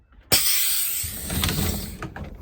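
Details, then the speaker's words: 2008 International IC RE300 school bus pneumatic door; regulator raised above about 30 psi gives a loud air blast and heavy thumps as the door slams too hard, then struggles to release. "is a whole lot more air. It'll slam [snorts] more. Not as much on the open and close, but still."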